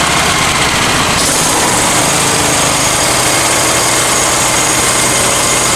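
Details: Honda EX1000 generator after carb cleaning, suspected debris in fuel tank: buzzes unevenly, pitch jumps after a second and stays uneven, speed poorly set; idle needs adjusting.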